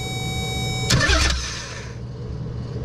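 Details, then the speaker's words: Nissan 300ZX (Z32) with no-crank no-start issue, starter powered directly via switched-voltage wire: starter engages with a clunk and spins engine briskly and evenly — starter good, so the ignition switch or something upstream is next to check. "So since that works, now we gotta go check the ignition switch or something, because we know this is not it's not the starter now."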